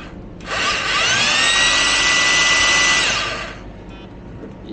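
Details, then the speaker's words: Used Makita 18 V cordless rotary hammer, reassembled after cleaning an overheating brush's contact points: spins up quickly, holds a clean even high whir a couple of seconds, winds down smoothly; drill mode working. "В общем, как-то так заработало."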